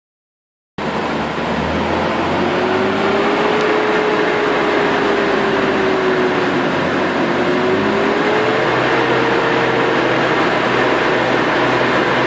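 A steady whine rides over the engine note, drifting up and down in pitch with speed; source of the whine not yet identified.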